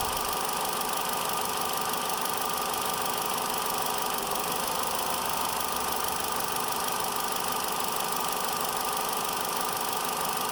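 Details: 2013 Vauxhall Corsa 1.4 SE Automatic idling with an uneven beat and intermittent knock; the engine moves slightly and revs briefly sag at each misfire (around 10/18/22/31/34/43/50/57 s and 1:06). Owner first suspected the coil pack.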